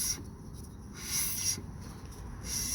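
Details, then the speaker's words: 2011 Hyundai Santa Fe rear brake, wheel off: hand-spun rotor scrapes unevenly against the pad with a rising-and-falling rub; pads binding on clips, worn caliper brackets letting caliper rattle, pads cracked; rotors, pads, brackets and hardware to be replaced. "there it is is that part of the rotor that's a problem right there right that's one of your problems spin it around you can hear it"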